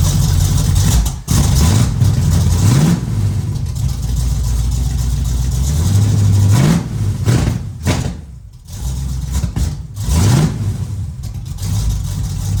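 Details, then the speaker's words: The Meano Camino V8 with long-tube headers and Cherry Bomb Glasspacks, camera at rear: deep loud rumble, burbling idle and repeated blips; very loud exhaust, needs more muffler. "We're gonna definitely need some more muffler on that for sure. Oh my gosh. The Glasspacks are a go, baby."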